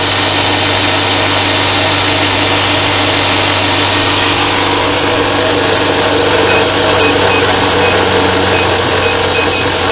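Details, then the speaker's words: Homemade 2x72 belt grinder built from laser-cut 1/4 inch plate, running at top speed setting 10 on a metal table without rubber feet; very smooth, steady high-speed whir with faint hum, slight buzz from table vibration only, no knocking or grinding. "There's no rubber feet or anything like that. And it is very smooth."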